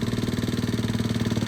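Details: Chinese GY6 139QMB 50cc scooter idling after battery replacement, previously only kick- or jump-started: small single ticking over with quick, even pulses, steady level, no stumble or knock; a healthy idle.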